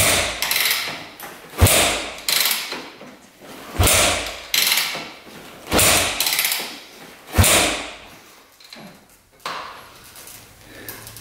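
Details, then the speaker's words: 2001 Yamaha WR250F street-legal dirt bike, just rebuilt, choke on: about five sharp kick strokes every two seconds or so, each a thud and whoosh, and it never catches; no start, spark not yet checked. "no go we got to see if this thing's sparking"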